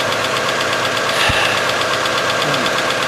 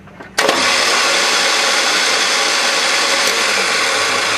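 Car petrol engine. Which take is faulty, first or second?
second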